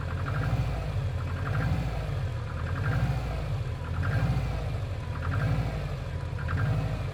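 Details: Subaru Impreza WRX GC8, EJ20G turbo: low rumbling idle with a dull knock and slow level surge; driven a year, prior owner two years; told forged pistons knock, owner suspects connecting rod; unconfirmed.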